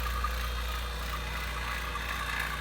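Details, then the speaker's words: Vacuum pump on a Silver King 5-foot prep cooler after capillary tube replacement: steady low drone, even hum, no knocking or surging; pulling down smoothly, normal. "here we are after one hour of vacuuming you're just shy of the 1000"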